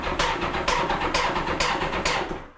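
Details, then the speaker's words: 1986 Honda Goldwing GL1200 non-starter, cranking: slow, even cranking beats about twice a second with an intermittent sharp metallic tap, and it doesn't start. Owner suspects a collapsed hydraulic lifter. "and it's making a horrible tapping sound but it doesn't do it every time so i think it's possible that one of the lifters might be collapsed"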